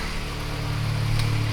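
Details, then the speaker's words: Turbo Toyota GR86 first start after fitting 1050cc injectors and DeatschWerks 300c fuel pump: steady even turbo four idle with loud fuel pump whir and crisp injector clatter, no fuel leaks; normal healthy idle. "She's loud and proud. Sounds healthy. So as I said before I got interrupted, it's running, it's healthy. No fuel leaks on my side of things."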